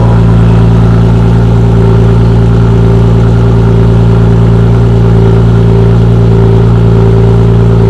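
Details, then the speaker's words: BMW E46 M3 at first startup after fitting a used Top Speed muffler: loud steady idle with a fast puffing tick on the exhaust note from a leak at the second joint, to be tightened. "exhaust leak coming from the second one over there. We're gonna tighten it up right now, and then hopefully it solves the exhaust leak."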